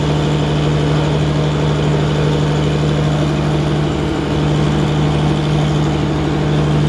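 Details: Engine at steady idle with a dull, hollow rapping knock on the low drone. Cylinders show large wear and burn marks; an economical fix of replacing only the rings or the pistons and rings is planned. Piston slap.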